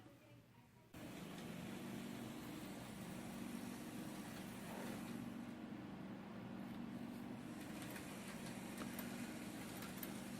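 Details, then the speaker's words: Atlas GP9 locomotive after fixing noise from a decoder installation: the motor starts and runs with a soft, steady hum and no rattle or squeal, much quieter than before. "from the other video you saw how loud that little locomotive was and now it's running a lot quieter unbelievably quieter compared to the earlier"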